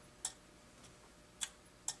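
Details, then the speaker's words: Makvision 3129 27/29" NOS arcade monitor, completely dead out of the box: sharp irregular relay clicks about a second apart as a bad solder joint makes contact; the circuit comes alive and tries to energize the horizontal output transistor, about 70 V at it. "it's ticking listen there's a relay there's a relay clicking now it's alive hear it we got a bad solder joint but now it's clicking and it's trying to energize our hot"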